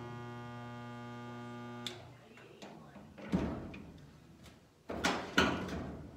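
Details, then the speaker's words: Spot welder welding new trunk pan on a 1971 Cuda restoration: steady, even electrical buzz for about two seconds, then clanks of handling; welder drawing current properly for a good weld. "tle bit further roughly about two inches I want to hear the hum I want to see the red mark in there make sure that we're getting a good well"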